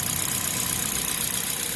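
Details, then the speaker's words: Toyota Corolla engine idling with accessory belt removed, after head cover off for VVT-i cleaning; water pump suspected of knocking: smooth even idle hiss, no knocks or squeals, only normal engine character; normal idle. "pode ser em mim botou não faz um barulhinho só barulho original característica do motor mesmo e nada nada agravante"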